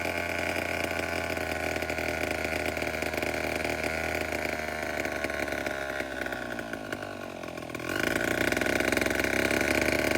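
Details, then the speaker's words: Vintage Homelite 7-19 two-stroke chainsaw (late 1950s/early 60s) after carb cleaning, diaphragm still worn: even idle, slight dip, then cleanly up to a higher steady drone; runs pretty well for its age. "But other than that, the whole thing runs pretty good to be as old as it is."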